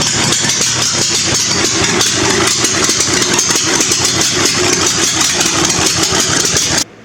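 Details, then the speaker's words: Murray riding mower small engine running on gas dripped into the old dirty carburetor, seat switch eliminated; fires quickly and evenly with crisp, steady exhaust pulses. Sounds pretty good; normal running. "So that sounded pretty good for an old dirty carburetor, and I just remembered I got to modify this pulley."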